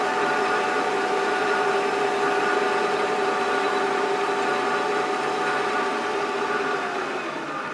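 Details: Creworks 8x16 mini metal lathe, cover off, after lubricating the gear train: even whir with steady mid-pitched gear tone, no clatter or rasp; much quieter than before, normal running.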